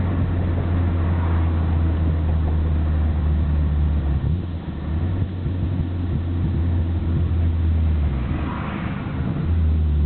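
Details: Nissan Skyline GT-R BNR34 with stock Getrag manual gearbox and Nismo clutch at idle: loose uneven rattle about three beats a second over deep idle drone, abnormally loud; slow to stop with clutch pressed, 1st and 6th rattle driving, shifting normal, gearbox oil change didn't help.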